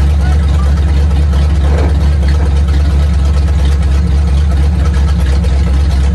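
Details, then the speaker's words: 1950 Ford flatbed dump truck with flathead V8, revived after sitting about 40 years, now on a hooked-up fuel system with water added: deep, steady, even idle with no knocks or misses. Runs like new, carburetor works; cooling system needs help. "Engine runs like brand new. The carburetor even works, which is surprising."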